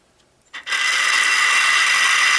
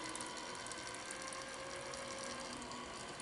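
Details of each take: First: Minn Kota GPS saltwater trolling motor's turning-housing motor running on the bench, also in reverse: a harsh, steady gritty whir and grinding from worn, rusted, corroded gears. The motor is near failure. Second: Minn Kota GPS saltwater trolling motor turning housing, after cleaning salt residue and regreasing: fine even ratcheting whirr from small gear train running in reverse, no catches or grinding; gears meshing properly after repair.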